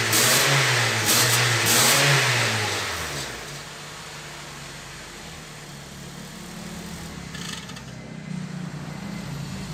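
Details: Honda New Civic that whistled when accelerating, after exhaust work that fixed it: two quick revs settle back to quiet even idle with no whistle or hiss; normal revving.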